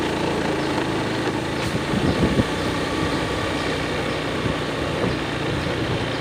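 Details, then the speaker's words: Honda Beat FI scooter after O2 sensor fix, riding at low speed: even steady engine drone with road noise, no stumbles or surging; previously it stumbled at low speed, especially in rain. "kecepatan rendah, aman dan terkendali. Tidak ada gejala yang muncul seperti kemarin."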